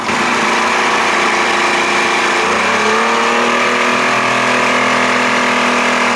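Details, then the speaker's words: 1992 Johnson 60 hp outboard on its first run in the water, cool running: the engine picks up sharply when the throttle opens, with an odd tinny extra noise each time; cause not found; unusual noise under throttle. "what's that noise sounds like i hear something something strange every time i hit the throttle"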